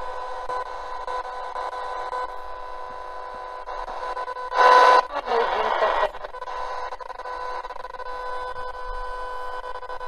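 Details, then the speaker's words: F170 21-band AM/FM/shortwave receiver tuned to shortwave in daytime. Steady buzzy hiss with fixed whistling tones that don't change with the dial. Owner is unsure whether it is local electrical noise where he records; a second shortwave radio picks up the same noise. "just let you know that noise you can hear I'm not sure if that's because I'm radiating electrical noise um from the area I'm actually doing recording where this is the radio itself I've tried it with another short wave radio and again I'm picking up the same noise"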